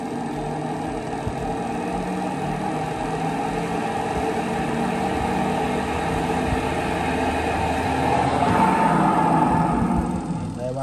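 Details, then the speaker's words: LG WP-1650ROT washing machine after repair of a spin tub that banged loudly and would not spin; empty spin tub test whirs up to a steady tone with no banging or wobble; spin now smooth and stable. "ไม่แกว่งแล้วนะครับค่อนข้างมั่นคงเลยครับ"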